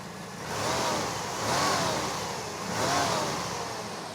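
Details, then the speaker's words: 1988 Pontiac Firebird Trans Am GTA 5.7L after long storage, freshly fitted with all eight new Delphi injectors and new spark plugs: three smooth rev blips rising and falling cleanly, no misfire or knock; normal revving, sounds healthy. "So all in all, she sounds pretty healthy."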